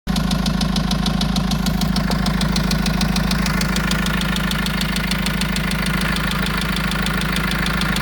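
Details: Vauxhall Vivaro 1.9 diesel at idle: a steady, hard clatter ticking evenly about three times per second. It is an engine knock, with an injector suspected but unconfirmed.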